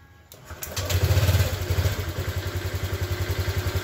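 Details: Honda Click scooter that starts but dies after a few minutes, especially when revved: catches, revs briefly, then settles into a lumpy, uneven misfiring idle, traced to the spark plug.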